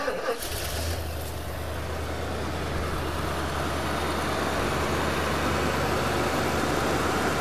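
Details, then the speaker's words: 1973 Mercury Marquis Brougham 460 V8, cold start on fast idle, new fan clutch fitted: big V8 settles into steady fast idle, deep even rumble with no knocks or misses; runs super smooth, power steering belt needs tightening; normal. "let's start it up here it is cold so it'll be on fast idle"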